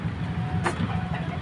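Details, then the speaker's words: Small automatic washing machine about two weeks old that smoked and won't run properly: a steady low motor hum keeps going even while switched off, with one brief click; the motor is running when it shouldn't. "pero pansin ko parang umaandar pa rin yung yung motor o nga kugong si ' ba ito yung motor nito laging nakahiling"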